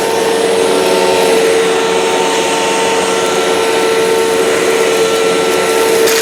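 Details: 2005 China-made Hoover Wide Path Preferred U5018-900 upright vacuum, 12-amp motor, test run on floor with debris: constant mid-pitched motor whine, steady airflow rush, no rattles or speed changes; normal running.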